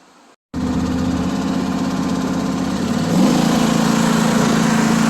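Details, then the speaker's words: John Deere S140 riding mower with 48in deck after removal, belt replacement and reinstall: engine idles evenly, deck engages with a smooth steady hum, no squeal, rattle or grinding; deck healthy. "You can lift the deck, make sure everything's working right, and I'm going to show you guys what it sounds like. Proper deck should sound like."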